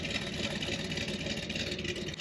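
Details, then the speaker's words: 1979 Corvette small block with a mild cam, which has been sitting: an even, steady idle with a crisp exhaust note and lope, no ticking or misses. Normal idle. "man, that sounds so tight."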